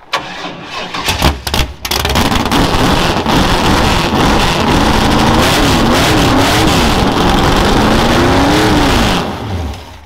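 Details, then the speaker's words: Derby car's mid-90s Chevy 383 (Scat rotating assembly, 13.5:1), winterized, gas poured down the carburetor: short cranking clatter, then fires and holds a loud, lopey idle with revs rising and falling smoothly; sounds healthy. "She lives. Sounds healthy."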